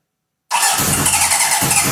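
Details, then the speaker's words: 1978 Honda CB750 engine and carbs run on a stand, likely first run in over 10 years: loud, fast cranking with ragged firing attempts that never take hold. Too much air suspected, so something is held all the way in to reduce air; not confirmed. "thank you oh so close there think too much air is getting through so if I hold this all the way in to reduce the amount of air coming through that should then fire"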